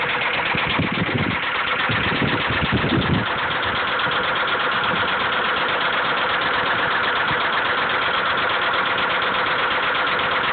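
Uneven idle carries a dull knock about three times a second under a hissy, clipped recording; a knock at idle, possibly bottom end.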